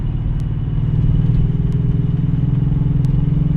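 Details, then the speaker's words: 2006 Nissan 350Z with original OEM coil packs, driving under load: deep lumpy burble with uneven beat, about 50% power; owner suspected coil pack; scan showed cylinder 2 misfire. "Man, this thing sounds so weird. Listen. I don't know if you can hear that, but there's no power. It's like 50% power right now."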